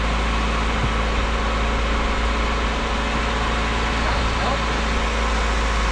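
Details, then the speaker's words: Bone-stock Honda Civic CX hatchback (EG) with a freshly swapped stock single-cam engine; smooth, even idle, steady low drone, no knocks, misses or ticks. Healthy, no check engine light. "Sounds good. Sounds freaking awesome. And no check engine light, which is sick as well."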